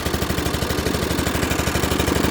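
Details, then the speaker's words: Dixon ZTR Kodiak SE mower, first start, choke on, half throttle: engine runs loud with sharp popping pulses about eleven a second, harsher than normal; owner suspects an exhaust leak. "That ain't right. Something off about this. But I mean it came to life fast. It is loud. Sounds like I got an exhaust leak."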